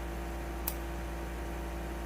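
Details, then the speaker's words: 1999 Kawasaki Vulcan Nomad ignition switch, removed and bench-tested with a test lamp on the park lamp circuit (blue/red wires): one crisp click as the key turns, showing the contactor closes normally. The bike had a no-crank, no-start fault from a stuck primary contact. "So, that contactor is working inside the switch. You can hear the switch clicking."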